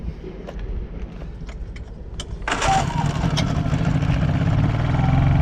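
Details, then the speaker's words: Honda EU3000is inverter generator after carburetor cleaning (previously ran only on choke): a few clicks, then it catches and settles into a steady, even drone without hunting or dying; normal running. "I guess after a minute it just worked. See, eco throttle off, revs up, eco throttle on, revs down, chokes in, shit's working."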